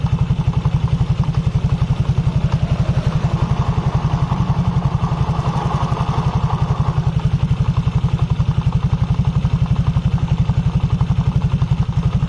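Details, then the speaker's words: 2020 Honda Vario 150, CVT, engine running with rear wheel held still: deep, steady rumble under an even low beat, gone when the wheel spins; worn secondary pulley bearings. "yang bunyi suara gemuruh ya gemuruh saat roda diam mesin menyala otomatis sekunder ini berputar berarti bearing pressan dan bearing bambu ini sedang berfungsi"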